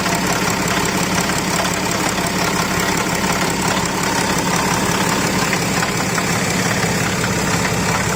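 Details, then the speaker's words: BMW X6 at start-up with fan and some coolant hoses removed, drive belt still on: steady whirring rotational noise at the front of the engine under idle; source not yet pinned down, belt removal planned to test. "BMW x6 this is noise coming from the front of the engine every time you start the car you can hear the noise coming like a rotational noise"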